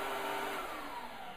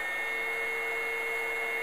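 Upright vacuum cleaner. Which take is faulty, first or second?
second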